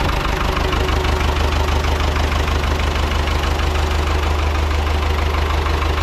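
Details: Ford 6600 diesel tractor, sitting about 8 years, just started after starting-fluid spray bursts while cranking; low on antifreeze so run briefly, some smoke. Steady, even diesel clatter at idle, firm beat about three pulses a second: normal idle.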